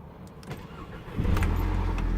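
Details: 2012 VW Mk6 GTI, cam too advanced/retarded code, misfire usually cylinder 3; injectors, coils, plugs, cam sensor replaced: brief low churning then heavy, uneven rumble as it catches roughly. Rough startup.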